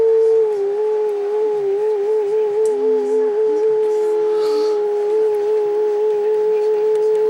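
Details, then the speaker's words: Yaesu FT-707 transceiver, previously sprayed with WD40, under repair; warbling tone near 440 Hz wavering with faint overtone; distorted because the bandpass filters were misaligned, with ferrite broken off the slugs, and need retuning. "and then along this network, for each band which is in, we have a bandpass filter, and these need to be tuned. Now they've obviously been knocked out of whack,"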